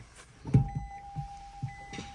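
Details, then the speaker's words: Nissan Leaf ZE1 40 kWh pulling away: a handful of dull irregular clicks from the front suspension over a quiet hum. Owner suspects the driveshaft loose in the hub and is regreasing it; cause still unclear. "Пока только так непонятно что такое ну щёлкает также щёлкает вот сейчас ещё раз покажу Вот"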